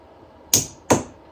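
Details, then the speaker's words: 1964 Ford Galaxie starter solenoid, key turned to start: two crisp clicks about 0.4 s apart then a faint third as the solenoid pulls in and powers the coil and starter; normal operation. "Hear it click and the coil. So the starter turned on."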